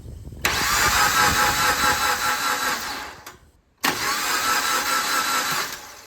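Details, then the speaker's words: 2010 Suzuki Jimny, cranks but won't start: two even three-second cranking spells, starter engaging and turning engine and accessories but no firing; cause found to be poor ground connections, fixed for free, not the ECU. "But then to test that, I cranked the engine while looking at the fan blades. And I could see the whole engine. Everything the accessories are turning over as I cranked it."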